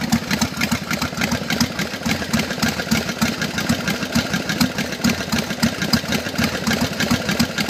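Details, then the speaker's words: 1999 Harley-Davidson Sportster XLH 883 converted to 1200 about 25,000 miles ago, at idle: sharp, heavy metallic bangs about three to four a second, seemingly from the front cylinder; mechanic suspects failing lifters, unconfirmed. "well I'm having this banging noise sounds like it's in the front cylinder going to take it up to my mechanic in a day or so he seems to think the lifters are going bad"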